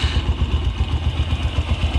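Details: Yamaha YBR125 (5VL engine) after a fix for its inherent timing chain noise. At idle there is an even, steady single-cylinder thump of about seven or eight beats a second, with no chain slap or rattle; it runs healthy.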